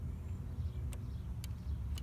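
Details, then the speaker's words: 1991 VW Vanagon 2.1 L water boxer, throttle body switch being checked: three crisp single clicks about half a second apart over a low rumble, idle click and full-throttle click; normal, correctly adjusted throttle switch. "quick that's good it's supposed to be just you moved a little bit click off click you go all the way to the full throttle on your own hear another click"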